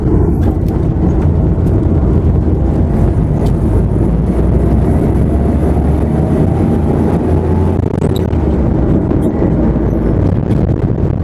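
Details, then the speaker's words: Work van, driven on the road with a listener in the back locating the noise. A faint whine over road rumble that rises with speed, felt at the centre rear; the owner was unsure whether it was the axle or the gearbox, and the diagnosis was rear differential pinion and bearing wear. "Macam bunyi axle pun ada bang. Besar kat belakang ni."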